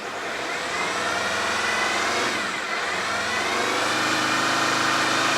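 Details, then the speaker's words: Alfa 159 off the road for years, after a cleaning job: repeated revs top out at 3000 rpm and will not go higher; the cause is unknown. "Still only rev to 3,000. It will not go past 3,000 RPM. I don't know why."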